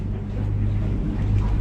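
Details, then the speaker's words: 24' Edge Marine OS boat with 300hp Yamaha outboard, in gear, troll mode raised stepwise from 600 to 1,000 rpm: low steady even rumble without knocks or misses; normal troll-speed running. "Now use this button to increase. We're at 600. Now I'm at 650. 700. You can hear it. 850. 900. 950. 1,000."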